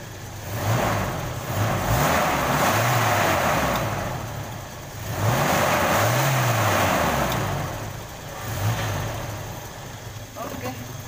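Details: Toyota Kijang Krista 5K/7K petrol, previously stuttering and limping at idle: engine revs cleanly three times and drops back smoothly, no misfire.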